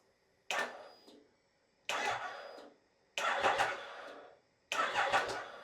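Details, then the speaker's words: Triumph Tiger 1050 Sport priming crank after reassembly: four separate cranking bursts about a second each, turning over sluggishly and never catching; weak cranking, though it then fired. "that sounds a bit weak but let's see if it fires up now"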